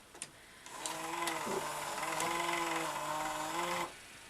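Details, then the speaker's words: Toshiba V-77B VHS recorder, probably unused about 25 years: tape-loading motor whirs about three seconds with strained, wavering pitch, then cuts out; sluggish loading, suspected gummed-up mechanism, later replaced sticky drive belts. "so let's hit play and see what happens oh it's a bit sluggish let's help give it a bit of a hand now i couldn't quite finish loading could it and now it's shut down"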